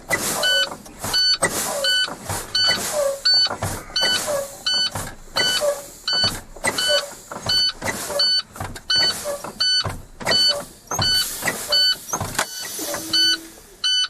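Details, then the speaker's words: Truck in-cab air brake test, fanning the service brakes to drain air with the low-air warning buzzer sounding: sharp hisses about every 0.7 s. Tractor and trailer spring brakes pop out normally at primary 25 psi and secondary 30 psi. "my parking brakes for both my spring brakes did pop out my primary ear gauge is at 25 and the secondary is at 30."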